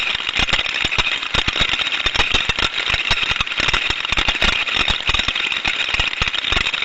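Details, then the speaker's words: Steam trap heard through an ultrasonic probe: dense, fast irregular mechanical rattling and clatter inside the trap body with a hissy top end; faulty mechanical internals. "as we can hear from that sound recording that we're hearing a lot of mechanical sounds a lot of rattling around inside the body of the steam trap there and that's going to be down to like I was saying earlier the mechanical components within the trap itself being faulty"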